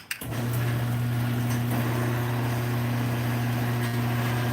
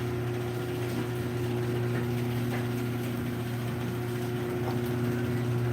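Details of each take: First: Garage door opener running without the door: loud steady low hum with buzzing drone; owner suspects the trolley vibrating, back lens, front, or a screw. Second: Garage door opener opening the door: a smooth, even low hum for about seven seconds with no buzz or rattle. Unlike on closing, it is nice and quiet on the way up: normal opening run.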